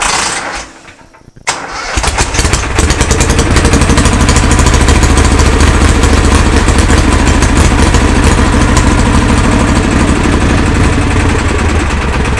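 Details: Kohler Command engine in a Cub garden pulling tractor, started after new fuel lines and a primed fuel pump: brief crank, then a strong, even, steady beat with no stumbling or fuel-starved surging.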